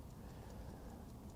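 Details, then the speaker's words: Vintage Howard Miller ship's bells clock after fixing a bent little wheel: even, strong ticks about five per second under room hum, never sounded this good before. Movement running healthy. "and uh it sounds really strong it didn't sound never sounded this good before so that Little Wheel was bent"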